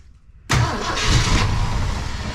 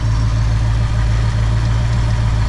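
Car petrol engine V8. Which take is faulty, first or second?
first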